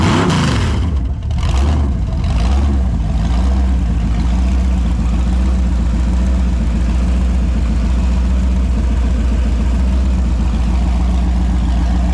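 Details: Holden 253 V8 on a bench test after a freshen-up: new bearings, honed bores, new rings, Yella Terra heads, new timing chain. It catches, blips a few times, then settles into a smooth, even low idle. Normal and healthy.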